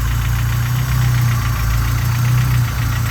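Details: Honda G23 engine in a Civic, idling cold: a steady low hollow knock under the engine rumble that the owner expects to fade once oil warms; piston slap, owner suspects the cylinder needs checking or reboring.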